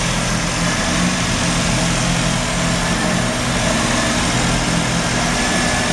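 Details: Mazda RX-7 rotary, failed annual inspection with very high CO (2.70): steady idle with uneven lumpy exhaust beat and occasional stumbles; misfire worst with slight throttle; no oil pressure shown, no leaks; ignition leads already measured; cause not yet found.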